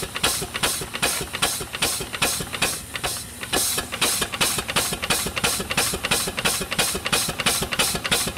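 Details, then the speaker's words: Newly delivered small steam engine, first run in decades, hand-held on drums with no base yet. Crisp, even chuffs about three a second, steady rhythm, no knocks or stumbles; runs well. "Okay, really good running engine."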